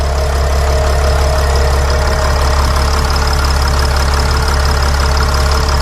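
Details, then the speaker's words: Mercedes Sprinter van 3.0L diesel after engine oil cooler replacement, no leaks and no dash warning lights: steady, even diesel clatter at constant idle with no misses, knocks or surges. Normal idle. "good job guys we did great work this is fixed I like how the engine sounds there are no leaks around the engine"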